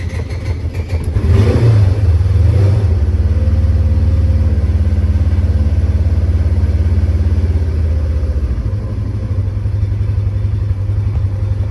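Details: Polaris Ranger 900 XP side-by-side, warm after a ride: starter churns about three to four beats per second for nearly ten seconds without catching cleanly; hard start, a vacuum leak at the intake seals suspected.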